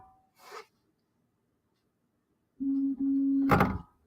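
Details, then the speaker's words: Refurbished SainSmart Infi-20 belt 3D printer, Y axis commanded 10 mm: steady stepper hum then short scrape while the axis does not move; owner suspects loose, slipping belt. "I think it's a bit loose belt. I think it's only a loose belt. I can hear the motors turning. It's just not moving the axis."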